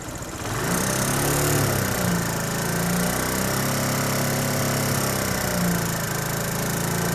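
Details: SYM XS125 small single at idle with light irregular tapping over the exhaust beat, roughly four per second; owner is sure it is not valves or cam chain, so the knock's origin is unclear.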